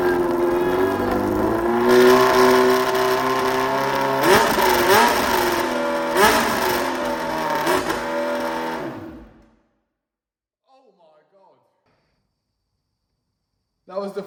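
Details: Restored Yamaha Fazer 600 on its first run in 2.5 years, no air filter, open carburettors, float leak just fixed. Loud, ragged blips, revs rising and falling with uneven firing before it cuts out. Rough running, probably untuned carbs.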